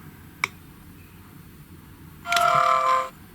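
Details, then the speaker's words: GHD Chronos S8M261 hair straightener at switch-on: short tick, then high multi-tone beep with crackly buzz; design fault, buzzer vibrating against the adjacent on/off switch, stops when button held still. "See, they've still got that crackling, vibrating noise from this switch being too close to the buzzer."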